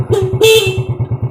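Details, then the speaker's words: Motorcycle running without a battery, using a substitute fitted in its place: two loud, clean horn blasts at steady pitch over the thumping idle; horn works normally and loudly. "Nah, lanjut kita pencet klaksonnya. Maka klakson ini akan buanter sekali."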